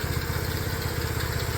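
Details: Restored custom Honda CT90, fuel mixture screw not yet adjusted and an adjustment planned: quick, even single-cylinder putter at idle, steady low thump with no misses or knocks; idling fine.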